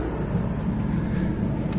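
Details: Pulsar PG2200BIS dual-fuel 2200W generator running a Coleman 13.5k BTU low-profile RV air conditioner on high, no hard start capacitor or modifications, compressor running; steady, deep hum with even pitch, no hunting or surging, carrying the AC comfortably.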